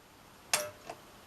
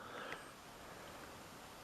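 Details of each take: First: Sony KV-M1421U CRT TV, kickstart capacitor already replaced: one sharp click at switch-on, one or two flashes, faint tick, then silence, set dead; standby transistor fault killing line drive. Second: Sony KV-M1421U CRT TV, standby transistor shorted and line drive transformer reconnected: quiet room, then one sharp static crackle at switch-on as EHT comes up, channel number on screen; set was only stuck in standby.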